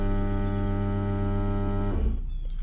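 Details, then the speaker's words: 2012 Ford Edge Limited 2WD 3.5L V6 with a sinking brake pedal, scan-tool ABS service bleed, engine on, parking brake set, pedal held: steady low electric motor hum for two seconds, then winds down; normal ABS pump cycling. "apply the parking brake depress and hold the pedal so I'm holding the pedal and I hit okay now you're gonna hear a bunch of noise there it goes"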